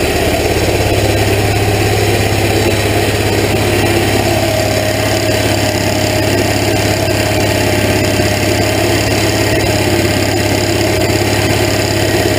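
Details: Hot rod golf cart engine, recorded at the muffler and tailpipe tip: steady, even low rumble at fast idle with a bubbly exhaust note, not loud, no knocks or misses; running healthy.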